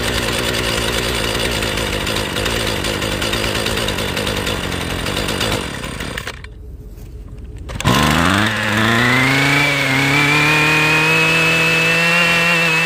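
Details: Husqvarna weed eater off choke: screaming high revs hold, then cut out and go quiet before spinning back up with a climbing whine; dies at full throttle, cause unknown.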